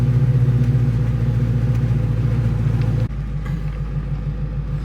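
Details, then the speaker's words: Restored Mustang V8 convertible on its first drive after 7 years off the road: deep, even burble under way with steady low pulses, no misses or rattles; healthy. "it's actually nice has some nice Rumble of I like the 3-in"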